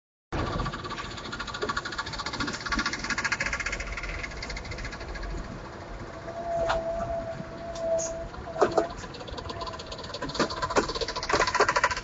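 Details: Locomotives 3BM4 on a slow-to-fast train departure from Acacia Ridge: sharp, irregular clicks over the low locomotive drone as the train pulls away; source unclear.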